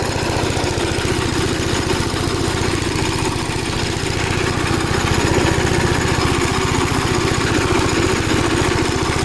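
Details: Gravely Model L tractor with governed single-cylinder engine, after replacement of a blown head gasket: steady chugging with even firing pulses and no misses or odd knocks; runs really good.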